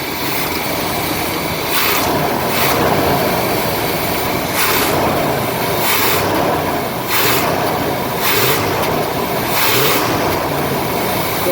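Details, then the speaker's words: RV with 454 engine, warm, throttle blipped after replacing leaking carburetor gasket: sharp bursts of rough noise, slight backfire on acceleration, though smoother than before, especially at idle, with no rpm drop. "was a little backfire on the acceleration it's definitely sounding like it was a lot smoother than it did before"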